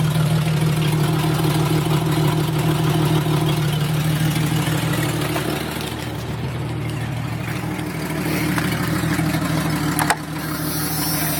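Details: 1996 Jeep Cherokee Sport 4.0 idling with a loud, raspy, puffing exhaust note from a leak at the Y-pipe, which started as a slight leak and worsened over six months until it broke.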